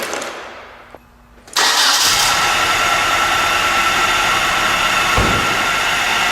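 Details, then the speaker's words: 1997 Nissan Altima 2.4L, first start after replacing an intake gasket that leaked at cylinder 4, front end raised, cooling system not yet bled: brief crank, then a steady idle with a faint constant whine, which is the alternator. "noise you hear is the alternator."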